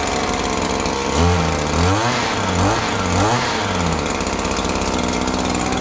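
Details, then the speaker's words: Two-stroke string trimmer with 245 hours and a Speed-Feed 450 head, started without priming after sitting since yesterday; high, steady buzz with clean throttle blips, strong and healthy. "this trimmer is probably my favorite trimmer of all time it has incredible power"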